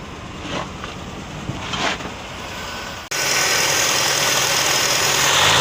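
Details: Peugeot 504 saloon hard start after spark plug and fuel pump replacement: about three seconds of uneven cranking with weak firing before catching into a steady run; plugs, carburetor service or coil suspected.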